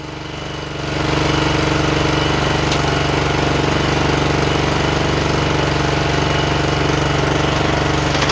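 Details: John Deere JX85 commercial walk-behind mower that was hard to start and surged, after repair with the air filter and cover tightened: single-cylinder engine holds a steady, even beat with the blades engaged, no surging or hunting; healthy.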